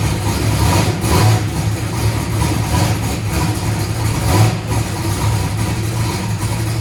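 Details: Race car after replacing a broken part and draining methanol from the oil pan: lumpy, deep race-engine idle with a few light throttle blips, no knocking or clatter; the engine seems okay.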